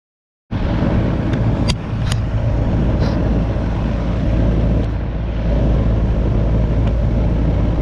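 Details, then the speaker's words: Goodman AC condenser not cooling, 45/5 MFD capacitor bad: only a steady fan whoosh with no deeper compressor hum; fan runs but compressor does not start. Failed run capacitor, compressor not starting. "Se escucha que la máquina nomás está trabajando el puro abanico y no está trabajando lo que es la compresora."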